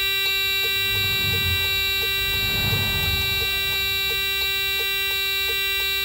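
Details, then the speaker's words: Freightliner FLD with Cummins M14, ignition on and start button briefly pressed, flash code retrieval: steady shrill dash buzzer with quick ticks about three a second as stored codes flash, reading 4-3-4. "so your flash code would be a four three four you can search online to see what the codes mean"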